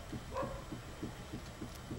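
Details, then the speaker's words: Dacia Logan front left wheel rocked side to side at 9 and 3 o'clock: dull knocks about three per second; owner suspected the tie rod end, but the knock felt different and was heard more than felt in the wheel. Cause unconfirmed. "se aude o bătaie. Dar mi s-a părut un pic diferită acea bătaie, însemnând că parcă nu o simțeam foarte bine în roată, mai mult o aud."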